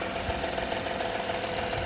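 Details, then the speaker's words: 2016 Honda Accord EX-L 3.5 V6 idling after catalytic converter replacement: light, fast, steady top-end rattle over an even idle; belt tension checked good, owner suspects a valve lash adjustment is needed. "Probably just needs a Yeah, tension is good. Needs a valve blast adjustment, but that's out of my scope."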